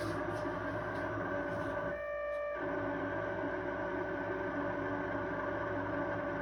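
A steady mid-pitched screech with ringing overtones that holds constant apart from a brief dip; the fridge squeals, cause not pinned down.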